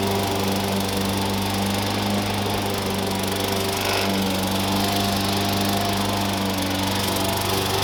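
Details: Push mower revived after years sitting, with new blade, blade bell support and air cleaner, cutting grass; constant hum holding speed with no bogging or misfire; runs healthy under load.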